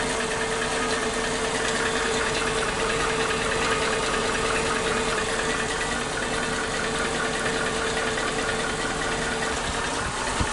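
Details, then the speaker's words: Suzuki Katana engine at idle after valve clearance check and readjustment (set looser than before), breather hose to air filter box disconnected: steady hum with light regular ticking, 2–3 per second; owner first suspected loose valve clearance but ticking persists, possibly normal. "Tidak bisa halus banget, tetap ada suara berisiknya, ada suara kayak ketukan-ketukan seperti itu."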